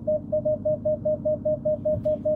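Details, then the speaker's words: Self-parking assist creeping the car forward toward another car's bumper: steady repeating mid-pitch chime, about five per second, until it says stop; the warning works normally but lets the car get very close. "You hear it? Now it says stop. But look how close it made me move."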